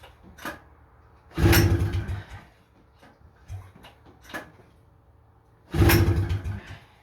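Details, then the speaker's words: 1977 FL250 ATV, pull start with the choke on and the throttle zip-tied: two hard pulls, each giving a second of uneven sputtering puffs that die right away; won't start, rusted carburetor with broken parts suspected. "I think the carburetor's cooked, guys. There's a couple broken parts in it, and it was really bad rusted out. Oh, she tried. She tried there."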